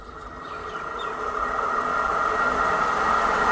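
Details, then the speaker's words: Pedestal stand fan that a customer brought in for loud noise, running after a repair that fixed it without replacing the bearing: a steady, even whir that swells slightly on spin-up, with no knock or rattle and no noise; normal running. "यह लिखित में कोई दिक्कत नहीं आराम से चल रहा है अच्छा ठीक है कोई सॉन्ग नहीं आ और बढ़िया से चल रहा है"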